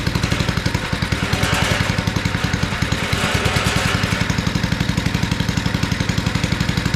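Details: Abandoned tiller, first run on two-cycle gas while leaking fuel: a lumpy, uneven chug with loose clatter that holds only on choke, a sign of a clogged carburetor needing cleaning.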